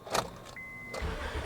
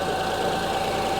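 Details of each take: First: 2005 Honda Odyssey with misfire codes, flashing check-engine light and severe shaking: steady, even cranking at about three beats a second, with even compression waveform humps; no mechanical fault, spark plug suspected. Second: 2005 Honda Odyssey with misfire codes and severe shaking, idling while checking coil secondary waveforms: steady idle with uneven shaky beat; misfire traced to cylinder 3, whose coil waveform differs from others.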